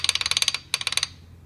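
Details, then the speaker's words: Small four-cylinder engine lower end, connecting rod rocked by hand: quick bursts of sharp metallic clicks from rod bearing play, the knock amplified at 2,000–3,000 rpm when running; rod bearing or spun bearing, before repair. "you know when they tell you you have a rod bearing noise and your under lower end of your engine well this is it right here"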